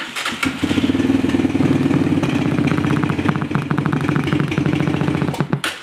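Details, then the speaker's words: TaoTao ATV radio setup: the engine starts and a fast pulsing buzz tracking its firing still comes through the speakers; the engine noise persists and power from the battery must be filtered. "Still have the sound. So we're going to have to filter the power coming from the battery."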